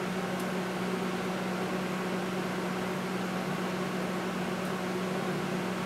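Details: Panasonic high-power inverter microwave after fuse replacement, heating water until steaming: steady even hum with firm low tone near 190 Hz and constant fan rush, no clicks or buzzing; works normally, only fault was a blown fuse.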